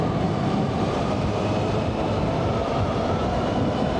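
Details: Yamaha Fazer cruising after new front wheel bearings were fitted and the tyres were inflated: steady, even rush of road and wind noise with no drone or rhythmic roar. Normal road noise.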